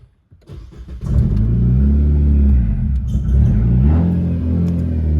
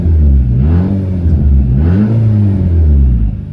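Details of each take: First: Nissan CVT car with a stage-two turbo, mid-conversion from MAF to speed density, first start: it catches after a short crank, then idles unevenly with revs hunting, the rough running expected from untuned fuelling. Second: Nissan Juke, fully warm, during a MAF-to-speed-density conversion with electronic throttle control still active. Two quick throttle snaps rise and fall cleanly with no stumble. The engine revs normally.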